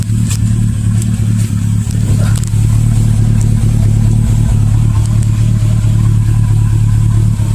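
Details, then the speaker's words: 2002 Mercedes S430 jacked up, heard under the car: loud low idle with rapid uneven puffing tick about four times a second, an exhaust leak at a joint. "I got it jacked up for now I'm gonna go do that programming and uh just leave it at that for now and then I'll come right back but I found the exhaust leak"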